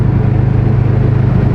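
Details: Built Subaru, rated 800 hp on its stock motor, run out of oil: deep, lumpy idle with fast, uneven low thumping and heavy shaking, smoking, oil light steady; rod knock after one hard pull.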